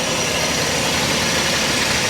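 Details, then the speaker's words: Auction car at idle with non-working AC: constant gritty metal-on-metal rub over the engine note, first thought to be a pulley and then traced to the AC compressor; the noise was brand new. "That sounds like metal on metal. That's a pulley. The AC does not work in this. I hear it. You can hear it rubbing."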